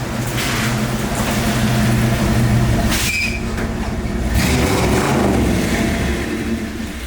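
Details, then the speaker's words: 1963 Buick LeSabre 4-door with 401 Nailhead V8: deep burbling steady rumble through open side pipes, pulls cleanly with no knocks or misses; normal healthy running. "This thing does sound really good. That little 401 Nailhead V8 sings a nice song that I can dance to."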